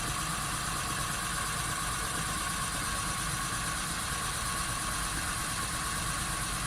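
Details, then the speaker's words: VW Polo Sedan, front wheel lifted and spinning in gear: a steady droning hum under the engine noise from the right front hub bearing, which hums clearly and needs replacing; the left wheel is quiet. "Да, подшипник действительно гудит. Звук отчетливо слышен. Поэтому его необходимо заменить."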